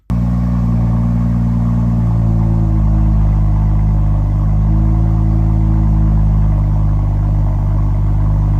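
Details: BMW F-series car after fixing a rattling exhaust: deep, steady engine note with a smooth drone and no rattle or buzz from the back box; the exhaust sounds healthy.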